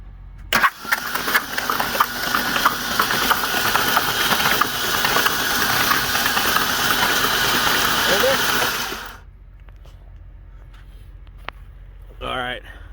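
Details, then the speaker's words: Ford Ranger engine hydrolocked after the truck ended up on its side in a ditch: spark plugs out, ignition and fuel pump relay disabled, starter cranks about three or four beats a second for eight seconds without firing, clearing oil; driver's side cylinders held much more oil. "all right so you can see that driver's side that's the side the truck was on definitely had a lot more oil in it than the other side did the other side did have oil but this side had a lot"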